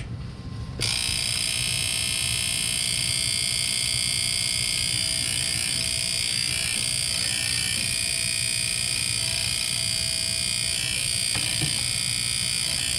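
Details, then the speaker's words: Trane furnace not starting, fan not running: tapping the control board sets off fast, even clicking about four per second over a high electrical buzz; technician suspects a relay inside the board sticking and trying to engage. "Tap the control board, it's going to start making a loud clicking noise. I think it's a relay inside the board that's maybe getting stuck and trying to come on."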